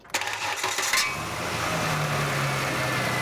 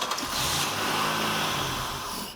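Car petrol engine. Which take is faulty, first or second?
second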